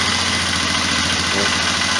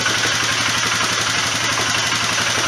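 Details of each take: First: Polaris Sportsman 500 ATV, carburetor already cleaned, choke closing: fast, slightly uneven putter with busy exhaust rasp at idle; rough running, owner suspects carburetor and plans slide carb swap. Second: Polaris Sportsman 500 after replacing the troublesome CV carburetor with a slide carburetor: gruff single-cylinder beat holds a steady, even rhythm without stumbles or misses; normal running.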